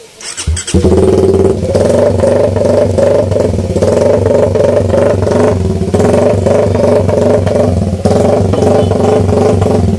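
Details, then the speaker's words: Idle after basic NK ECU tuning, with the idle setting roughly dialed in but the tuner not yet sure it is right; RPM read as 3,000. The engine catches and settles into a steady, even, smooth idle with no misses. Normal idle. "Natin mga Joy, ito yung nakasit up sa idle natin. So ito yung tunog."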